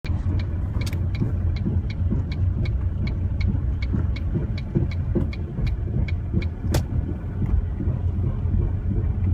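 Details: Knocking/banging noise while driving, very loud, from a 2005 Ford Mondeo ST TDCi diesel; heavy road rumble broken by sharp, loud knocks and bangs at irregular intervals.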